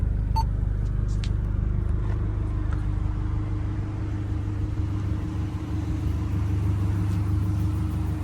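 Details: Kia engine finally running after timing work: steady low rumble with an even beat, no misses or surges at idle; belt squeal on starts that disappears once warm.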